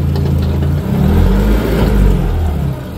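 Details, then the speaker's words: Renault Clio 3 RS after fitting a stainless GT Performance exhaust line, engine blipped: coarse metallic rattle over the deep exhaust note; pre-catalytic converter found dead, may need rebuild or manifold replacement. "le pré cata et ben il est mort"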